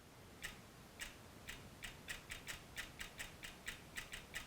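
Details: Stanford Research DS360 ultra-low distortion function generator, after repair of a fault where its internal relays would not switch and there was no output. Crisp light clicks, two or three a second at uneven spacing, over a quiet hiss; the relays now switch normally.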